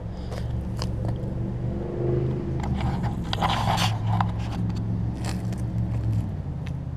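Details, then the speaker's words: Lawn Boy push mower after blade stop cable switch fix and replacement aftermarket carb for bad needle and seat, warm start: steady even low drone with no misses or surging; runs normally. "and it runs great"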